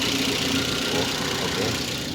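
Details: 2012 Daihatsu Gran Max blind van, original engine, modified exhaust, early morning: steady, even idle with a raspy, louder exhaust note and no knocks or misses; normal healthy idle.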